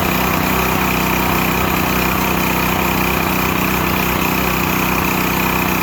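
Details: Used Stanley 8000 W all-weather generator, sat four years, running after a starting-fluid start, choke off; steady, even drone with constant governed pitch, no misses or knocks, normal running.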